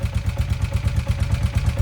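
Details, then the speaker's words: 1981 Honda CM400 Custom, first start after full carburetor rebuild, idling with dry metallic clatter on each beat from the top end; valve chatter likely from its rubber keepers. Cause suspected, not confirmed. "You can definitely hear that there is some valve chatter up here, which is most likely the rubber keepers."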